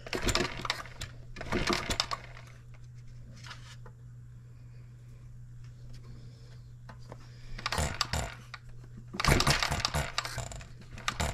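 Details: 1988 small engine, crankshaft trued to about .0015 in runout, valve timing roughly set, battery giving about 11 volts: short buzzy cranking bursts with pauses, never settling into a run. Hard starting; owner suspects junk in the fuel system.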